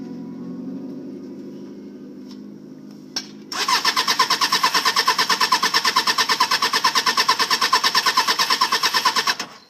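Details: 1995 Suzuki Katana 600, bought a week earlier and ran fine, now won't start after sitting overnight; the last owner blamed the battery. Starter spins the engine evenly for about six seconds without firing; cranks but won't start.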